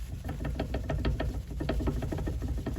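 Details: Mercedes CLK W209 / C-Class W203 front suspension, engine off: sharp, repeated clunks in quick bursts as the wheel is worked, worn front suspension arms knocking, the reason it failed inspection before arm replacement.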